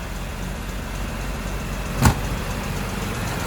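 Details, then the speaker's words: 1973 Daimler Sovereign Series 1 (Jaguar XJ6) 4.2 straight-six just started cold, on choke: steady, even low rumble at raised fast idle with one brief knock; normal cold fast idle before choke comes off. "on choker the minute but that's one nineteen seventy-four Xcode 4.2 engines online when she's cold he's lovely give it two or three minutes and that'll be off children which will be much better"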